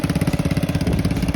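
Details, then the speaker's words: Honda-powered Farmall with newly installed Crosley second transmission, first run in first gear under its own power: quick even put-put pulses, no knocks or misses, running as intended. "Yeah, it's just working right along, just like intended."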